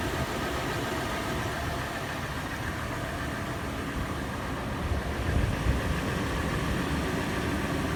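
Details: Toyota FJ at warm-start idle: light, fast ticking clatter over the engine, later turning into slower, louder, sharper tapping/knocking; faster in park and neutral, slower under load in drive; rattles decelerating below 1800 rpm. Cause unknown.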